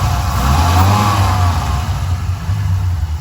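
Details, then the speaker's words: 1997 Viper GTS V10 after a tune-up, previously misfiring with no power: revs up and settles with a deep, even exhaust note, no stumble or skipped beats; smooth running, misfire gone. "okay so i turn it on and it sounds a little bit better i mean it doesn't sound like it has a misfire"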